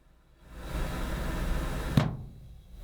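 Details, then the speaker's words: Water hammer on a dishwasher supply line: rushing water hiss ends in one sharp bang as the dishwasher solenoid shuts the water off fast; the fix is installing a water hammer arrester. "on the end of that waterline is a dishwasher and they're notorious for their solenoids just shutting off that water so fast it causes a bang"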